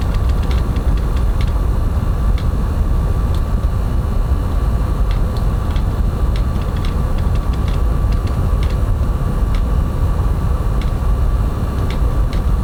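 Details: PlayStation 5 Pro running F1 24 in quality mode with three types of ray tracing. Steady rushing fan noise with a thin constant tone near 1 kHz and no rise or fall; the console fan is working hard under heavy load.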